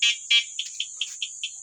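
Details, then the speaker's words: E-bike alarm stuck on one tone: two long chirps, then a single short chirp repeating about five times a second. The cause is a horn relay corroded by water running onto it, and it is being replaced. "Ito yun oh. Yan oh. May kalawang siya. Ibig sabihin siya ay tinatama ng tubig naagos papunta dito."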